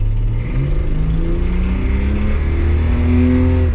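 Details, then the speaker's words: Nissan Skyline R31 TI, first drive in years after neglect, full-throttle acceleration: strong, even climbing six-cylinder note, running on all six; exhaust leak present, still a little rough down low. "I'm gonna punch it goes good definitely feels like a 31."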